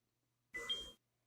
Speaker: hear a two-tone beep.